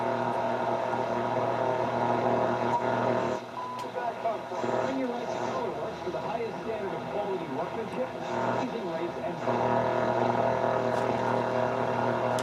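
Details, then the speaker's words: Marantz 2250B 1970s receiver during tuner alignment, AM band with no antenna hooked up: steady low buzzy hum under changing noise as dial moves, attributed to lots of local RFI; AM otherwise sensitive, picking up distant stations. "lots of stuff here creating rfi"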